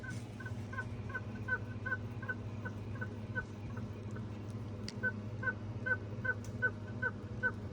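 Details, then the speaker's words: Lexus LS430 during engine work: high, chirpy squeak two or three times a second over a low hum; owner suspects the water pump is bad, new pump spins freer. "don't know if you can hear that. So, I think the water pump is bad."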